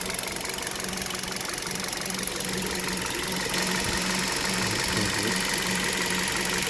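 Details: Cold idle of a KIA Rio engine with hood open, engine never washed: a light, regular knock of roughly three per second over the engine hum, consistent with piston slap; knocking long-standing, noise fades above about 2000 rpm.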